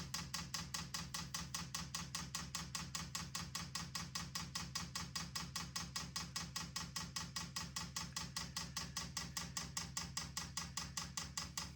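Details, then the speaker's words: Vevor 8 kW Chinese diesel heater, first install in a storage container: crisp, even ticking about two and a half per second with no motor running, as the dosing pump primes the fuel line; normal priming. "It's going to take quite a bit to prime this. Yeah, it's got a ways to go yet."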